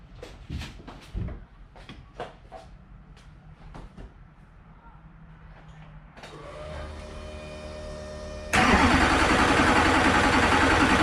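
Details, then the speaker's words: Duramax diesel race truck, first start after engine rebuild with EGR installed: a few clicks, then it cranks, catches and settles into a steady, even idle with no knocks; starts and runs fine, normal start and idle. "yeah so truck runs"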